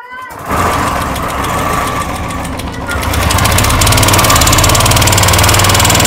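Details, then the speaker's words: Royal Enfield single just after starting, before the engine is opened: a fast, even tick, roughly three or four per second over the idle, with some white or black smoke. Noisy valve gear is suspected; the mechanic plans to check the hydraulic tappet in the cylinder head. "इतना थोड़ा बहुत हम लोगों का खराब ए रहा है टिक टिक ज्यादा कर रहा है"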